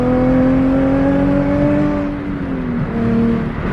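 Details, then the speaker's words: Nissan 350Z driving past with a newly installed aftermarket exhaust that scrapes on bumps; a steady, clean exhaust drone with pitch easing off slightly, no rasp, and quieter than expected; the exhaust sounds healthy. "Bro, it sounds clean. Like, it doesn't sound bad. And honestly, it's a lot quieter than I thought."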